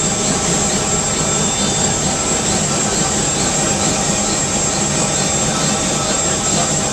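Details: UH-1 Huey turbine engine running after rebuild: steady, even turbine roar with a high whine held constant, no surging or rough spots; healthy run.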